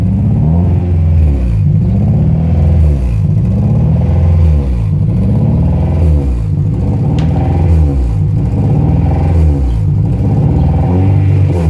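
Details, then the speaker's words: Honda Prelude H22 engine at idle: revs rise and fall roughly every two seconds and never settle, a constant idle surge from a vacuum leak; intake manifold gasket suspected. "as you can see the idol does not stop bouncing this it is really annoying"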